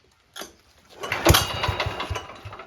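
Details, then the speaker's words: 1968 Sears Suburban 12 diesel, pull-start with a new intake and exhaust, throttle at full: a few uneven firings then it dies; air suspected in the fuel line. "right now there's air in the fuel line so I expect it to take a few poles well that's promising it's not quite there yet"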